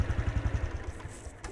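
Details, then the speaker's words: Honda Wave 110i (110cc), hard starting: putters then sags and dies when throttle opens, also stalls at idle; stalling on acceleration, about 80% likely from a deteriorated spark plug cap. "เร่งไม่ได้รถจะดับดูอีกรอบรอบเดินเบาดับเองปัญหาประมาณนี้"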